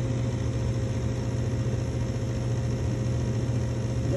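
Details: Ducane MPGA075B3 gas furnace (tricky gas valve), calling for heat after power-up: only a steady low inducer hum for several seconds, no pressure switch click and no ignition following; no pressure switch click.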